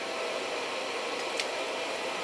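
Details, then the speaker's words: Reliable Electric 800W pure sine inverter under load of about 678–747 W at 11.7–11.5 V, up to 78.9 A: even airy hiss with a faint steady whir, no ticking or rattle; normal cooling fan running. "So now, speaking of which, now the fan actually just kicked on. So that will affect the efficiency a little bit, but that's okay."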